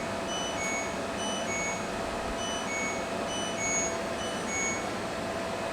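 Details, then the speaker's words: LG WT1101CW direct-drive top-load washer, salvaged, drain motor had run constantly: repeating short electronic beeps about once a second over steady hiss, the dE code because the door was left open and could not lock. "a quick search on the interweb indicates that like an idiot i didn't close the door let's try that again indicated it wasn't able to lock the door"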